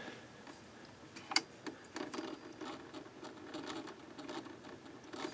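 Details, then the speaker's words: 1970s Sony TC-238 8-track recorder, drive belt missing, motor spun by hand: faint scratchy, irregular ticking and rasping; very noisy, dry gummed-up motor bearings, owner fears it may not be salvageable. "Okay. Noisy bearings. Very noisy. Uh-oh. We might not be able to do anything with this. You hear those bearings."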